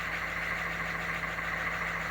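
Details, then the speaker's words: 1987 three-quarter ton 4WD Suburban, 6.2 L diesel with Banks Sidewinder turbo, after glow plug swap; started at 74°F on factory glow timer, afterglow hitting, no double cycle. Steady, even idle with light clatter and constant hum, no hunting, no smoke. "started up no double cycle successful don't seem to be released"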